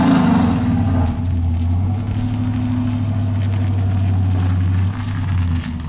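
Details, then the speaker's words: Junkyard 6.0 V8 replacing a burned-up 5.3, bearings checked, after 6.0 tune: deep, even steady drone, no knocks, misses or ticks; healthy, owner notes an intermittent lifter tick to be fixed with new lifters. "all right guys obviously we got the 60 tune she's sounding a lot better"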